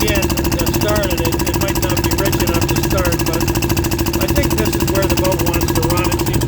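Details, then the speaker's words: Early Port Carling Dispro boat "Fisher", single-cylinder engine under way at 6 mph maximum speed, carburetor needle leaned and clamped: steady thump about 200 beats a minute, even and unfaltering; mixture set right, runs well. "It seems happy there. Sounds good. I'm happy with it."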